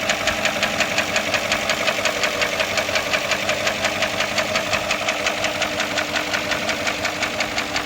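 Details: Porsche Cayenne S, bought as junk, hard to start: a sharp, even knock about three times a second persists over a steady idle. Abnormal engine noise, cause unknown.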